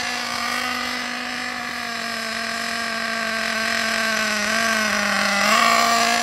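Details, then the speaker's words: Ansmann Virus 2.0 RC car, .28 BigBlock nitro engine on its first test drive after run-in, at light throttle. A high buzzing note holds nearly steady, soft and blubbery rather than crisp: it is still tuned rich and over-fueling. "it's still running really rich it's still not tuned in properly yet which we're not ready for it to be done if you can hear it it's over fueling"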